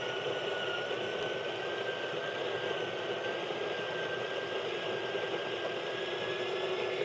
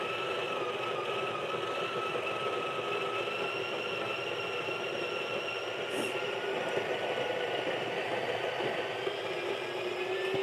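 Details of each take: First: Breville Barista Pro/Express built-in grinder grinding a dose through a dosing funnel: even high whine, dropping slightly as the dose clears, end-of-cycle whine when tapped to clear grounds; normal operation. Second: Breville Barista Pro/Express built-in grinder grinding an 18 g dose of very light roast beans: high, steady motor whine with a labored edge; grinder a little struggling on hard light roast.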